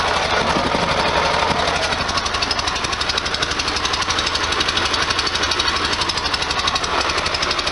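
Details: 1973 VW Super Beetle air-cooled engine with a newly fitted stainless EMPI header and new plugs, idling steadily with a loud, raw exhaust rasp and no misses or stumbles; it seems to leak less than before.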